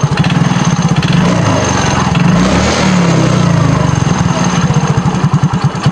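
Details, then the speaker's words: Yamaha Mio Soul GT injection scooter after swapping in a sensor from another bike for a broken-socket 3-in-1 sensor and adding oil: the idle is uneven, picks up on a blip, then sags nearly dying as the throttle closes. The owner reports it stalls; the intake pressure reading is now under 50. "Motor ini sudah bunyi, dan bunyinya juga masih sama RPM-nya ini nggak enak kan, nggak mau langsam dengan enak lah, kalau kayak ginjal-ginjal gitu kan."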